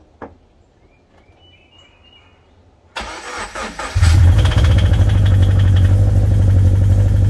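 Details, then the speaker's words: 2013 Scion FR-S (BRZ twin) bought with a rod knock, original engine before a used-engine swap; silence, then the starter cranks and it catches into idle with a steady low rhythmic knock underneath: rod knock. "in today's video we have another great example of why my wife keeps trying to take my Facebook Marketplace away this 2013 F FRS with a rod knock and uh some paint defects and some great Wheels"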